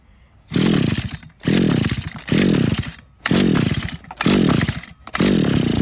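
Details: Used RedMax two-stroke edger (bought 2010) after repeated Sea Foam doses. It surges, then sags and dies back whenever throttle is given, seeming to flood or stall. The owner suspects a clogged carburetor jet.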